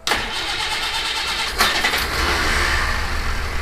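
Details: Citroen HY van, after fixing a no-start and refilling fuel, in neutral: engine fires straight away and settles into a steady, even run with no misfire or stumble; a healthy start, some blow-by visible.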